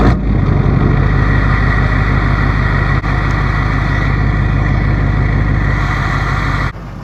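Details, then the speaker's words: 2005 Chevy 2500HD LLY Duramax with ZF6 six-speed, test drive after front wheel bearing replacement: steady engine drone and road rumble, no thud on lift-off, no hum or growl from the wheel; bearing quiet, earlier noise gone. "No noise, the truck rides good, it drives good. The wheel bearing ain't making any noise like it used to."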